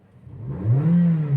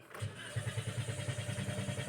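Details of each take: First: Toyota Vios Dual VVT-i brought in for hard starting and long cranking, suspected fuel delivery fault: smooth, clean rev climbing to a steady higher hum, even and strong with no misses or rattles; normal revving. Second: Toyota Vios Dual VVT-i after standing a while: starter churns at about three beats a second for several seconds without catching; long crank as fuel pressure leaks off through a cracked fuel pump housing.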